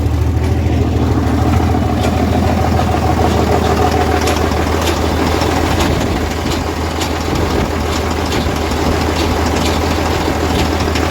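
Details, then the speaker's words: Diesel truck with turbo (boot disconnected) idling then revved: uneven, irregular rattle over the rumble, resembling a torque converter bolt but inconsistent and stopping when revved; failed turbocharger. "I don't know if you guys can hear that like it sounded like we it sounded like a torque converter bolt but then it wasn't consistent and then when he reved it up it would stop so turbocharger shot"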